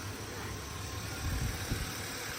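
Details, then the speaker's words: 1999 GMC Sierra pickup idling: quiet, even low V8 rumble with no skips or knocks, steady background hiss; engine sounds fantastic, transmission shifts normally. "The engine sounds fantastic. Transmission shifts normal."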